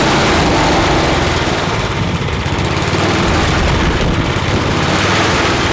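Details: Craftsman snow blower (customer's) after cleaning and reassembly with a replaced seat: small single-cylinder engine holds a steady, even chatter at constant speed with no surging or misses; it runs normally.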